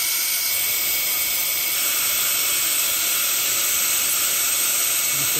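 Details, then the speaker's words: Ford 6.0 diesel, hot crank-no-start, engine off, shop air tester on high-pressure oil system, louder on driver's side: steady loud hiss of escaping air, bubbling seen; suspected injector O-ring leak, both probably to be replaced, unconfirmed until disassembly. "bubbling right there. I think it's up on ejector O-ring or significant."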